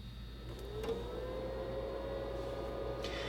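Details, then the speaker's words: PlayStation 2 Fat from a for-parts lot, first power-on test before repair: a quiet, even hum with a faint rising drive spin and light clicks as it boots. Normal power-on. "sounds normal so that's good news looks like it's booting up normally so that means the video is probably fine"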